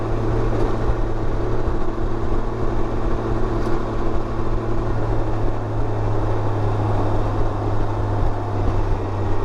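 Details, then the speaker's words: 2019 Can-Am Ryker Rally (in for CANbus VSS codes after a battery replacement) at idle: steady idle with a light, fast ticking clatter from the top end; lifter/tappet noise, not bad but more than usual, owner-serviced oil questioned. "I hear some little bit of lifter noise when it's idling. I hope he's using well, most likely if he's doing his own service, he's probably not buying the BRP kit. Well, I hope you're using something good. She's a little clattery up there."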